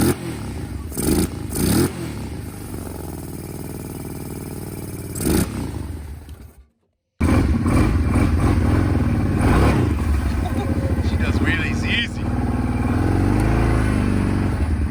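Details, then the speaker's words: Kawasaki KFX 700 V-twin ATV after rear-cylinder valve adjustment with front spark plug refitted: catches quickly, steady beat, blips up and settles cleanly after brief stops; normal running. "I put the front plug back in, and with adjusting the valves on the rear cylinder, it fired right up."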